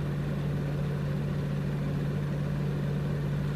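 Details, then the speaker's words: Maytag refrigerator not cooling, earlier buzzing and clicking: only a steady low fan hum, no compressor drone; fan by compressor runs but compressor doesn't start, just a small click of the relay clicking off; compressor possibly shot. "The compressor, it actually didn't buzz and click like I thought it was going to. There was a little click, and that was the relay clicking off. And this one here might just be pretty much shot."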